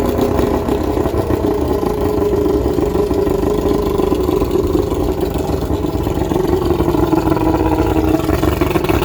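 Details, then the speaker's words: 1995 Astro 18FS boat's V6 135 outboard on flushing water, cold started with warm-up lever up and prime after sitting: choppy uneven burble with wavering pitch at fast idle while warming; rough running, cause unconfirmed. "I'm gonna give her a little bit of prime. She's gonna be angry because it hadn't run in a while."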